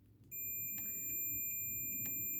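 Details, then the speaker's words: 1999 Honda Deauville 650 wiring loom, meter connected from the back to the front connector after a broken wire caused no spark on the front cylinder: steady high continuity tone holding without a break; wire intact. "So now you will hear, hopefully, the sound of continuity."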